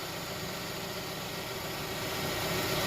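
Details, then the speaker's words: Hyundai Tucson idling after replacing noisy belt tensioner and pulley, AC on loading the belt: steady, even idle, smooth hum, no chirp or squeal, much quieter than before; old pulley bearing was noisy, normal idle. "all right guys so that's perfect it's a lot quieter now no noise"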